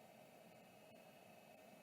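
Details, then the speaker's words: Vintage Samsung SHD-240N motor-actuated hard drive, parked, powered up: faint steady whir with soft constant high tone, no grinding or ticking; spindle bearings sound smooth and healthy. "bearing sound beautiful"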